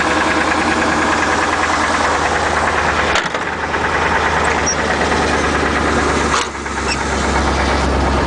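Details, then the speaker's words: Isuzu NPR gasoline 16 ft box truck, idling: loud steady idle with a rough uneven knock at about three per second; motor problem needing engine work, truck still drives. "you hear all that anyway I've got a lotta life left in it but it needs some motor work"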